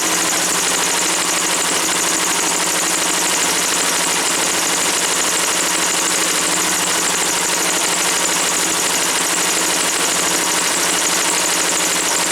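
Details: Woods 6180 zero-turn mower, 18 hp Briggs & Stratton Vanguard twin, after carb cleaning: even, constant idle with no stumbling or surging over twelve seconds once the air filter top was removed; owner suspects a plugged, oil-saturated filter.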